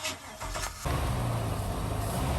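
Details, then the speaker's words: 1997 Maxum 2300 SC boat engine cranking, then catching into a rough, lumpy low run that struggles to stay running despite throttle, with a high-pitched mechanical clink or clunk; blown head gasket. "you notice a few different noises here you can hear the hard to start the motor struggling the stay running as well as a highp pitch mechanical clink or clunk however you describe it"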